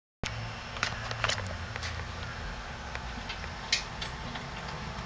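Steady idle with uneven, lumpy low thumps and a surging beat instead of an even hum; a rough idle, cause not yet pinned down.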